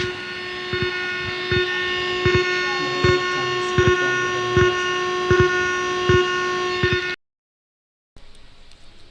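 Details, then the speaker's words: Amplifier in Bluetooth mode, heard through its speaker: steady high whine with a soft pop about every 0.75 s, an unwanted background noise the repairer plans to remove so no noise remains even at full main volume. "হ্যাঁ বন্ধুরা, সাউন্ডটি নিশ্চয়ই আপনারা শুনতে পারছেন যে কী ধরনের একটি sound. তো এই সাউন্ডটি আমরা একেবারেই লেস করে দিব।"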